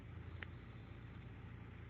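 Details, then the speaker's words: Engine warmed up about 5 minutes, idling rock steady with no surging after fixing P0505 IAC fault by cleaning the throttle body, idle adjust screw and IAC valve, resealing with RTV; no codes stored. "It's warmed up now for about 5 minutes. It's idling rock steady as you can hear it."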